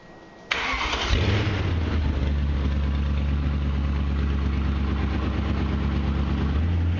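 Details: BMW E30 with swapped M60 V8, started again after first fire with new exhaust: cranks briefly, catches at once and settles into a steady, even low burble at idle; healthy start.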